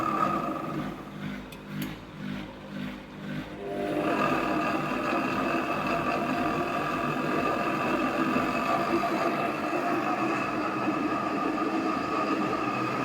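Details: AEG Öko Lavamat 4100 washing machine spin test stepping through 800, 900 and 1000 rpm: a few seconds in, the spin climbs into a loud, constant jet-like roar with ringing tones; worn drum bearings.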